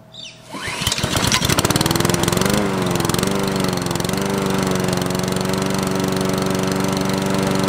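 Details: Lawn mower after a new ignition coil was fitted (no spark was the culprit) and coil-to-flywheel clearance set: it catches within a second and settles into a steady, even single-cylinder run with no misses; normal running.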